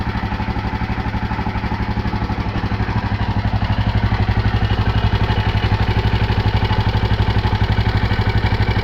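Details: KTM LC4 single-cylinder: even thumping about four beats a second with a light clatter on each beat; engine noise present but unidentified.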